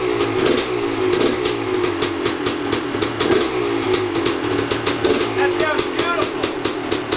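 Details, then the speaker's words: 2001 Gas Gas EC300 300cc two-stroke dirt bike rescued from a backyard after sitting: crisp, rapid crackle at a fast idle holding steady with no misses, knocking or rattle; it runs cleanly, though the clutch drags and won't let go. "Did you hear it run? It ran. Sounds nice too."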